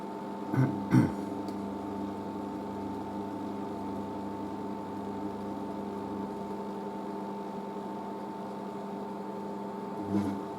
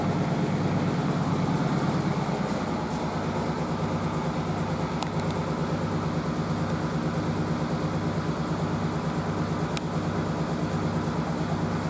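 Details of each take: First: Merloni Electra WD1100 washer dryer after a 50°C cotton wash and dry: steady low hum, even fan whirr and a couple of soft clunks as the dryer fan keeps running in cool-down; normal. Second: Merloni Electra WD1100 washer dryer, 50°C non-colourfast cotton unbalanced load test: steady low hum with slow swell about 1.5 per second, no drum banging. The stiff suspension pulls the machine about; unbalanced load during spin.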